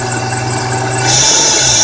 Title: e46 M3 scraping chirping grinding noise